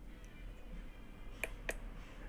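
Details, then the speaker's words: Coffee maker that won't heat, plugged in and switched on: two crisp relay clicks over a low hum as the board switches on normally; 228 V reaches the heating element, so the element is faulty. "escutaram ela ligando desligou agora ligou tá ligado"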